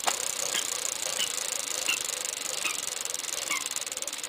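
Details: 12-speed bike rear wheel spinning, with a light scraping swish about every two-thirds of a second as the untrue rim rubs the brake pad. Fixed by spoke adjustment, after which it no longer hits.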